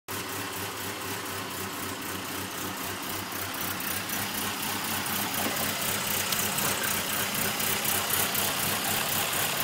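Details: Petrol engine misfiring only at idle despite new spark plugs and wires and a cleaned EGR valve: rhythmic stumble, about four uneven puffs a second; cause unknown.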